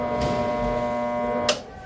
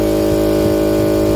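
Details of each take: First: Husky 3.5 HP air compressor, electrical system already checked OK: steady electrical hum with no spin-up, then a click and silence; the motor draws current but does not turn or start, cause not yet confirmed. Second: Husky 3.5 HP air compressor after repair of a motor that hummed but would not start: steady, clean electric motor hum, running smoothly without buzzing or stalling before cutting off; no strange sounds, normal again.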